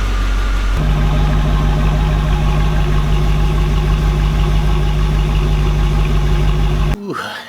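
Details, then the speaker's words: 1991 Chevrolet Camaro Z28 after battery replacement, restarted after sitting a few hours: engine catches and settles into a steady, even idle with smooth low burble, no knocks or misses; healthy start. "sounds pretty good so i went ahead took a break drank a bunch of water actually got a little bit of a nap in and the car still starts"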